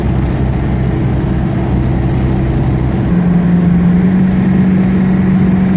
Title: Whining Noise